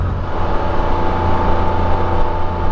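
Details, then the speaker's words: 2023 Can-Am Spyder 1330 engine, cruising on a test ride: even low engine drone with smooth mechanical whirring of internals, no knocks or rattles; normal sound. "oh yeah a storm that's normal 1330 sounds that's absolutely pleasing"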